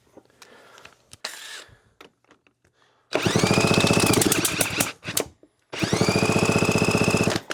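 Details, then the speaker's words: Kawasaki KX250 two-stroke engine during rebuild, cylinder needing replating: kicked through by hand it gives quick, even, solid puffs in two bursts, showing good compression, though whether it is enough is uncertain. "Definitely sounds like it's got some compression, but will it be enough?"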